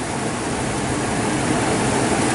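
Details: V10 with 18,000 miles in a 2007 Four Winds Fun Mover Class C motorhome, oil changed yearly, never broken down: steady, even idle drone, no knocks or misses, constant level; healthy.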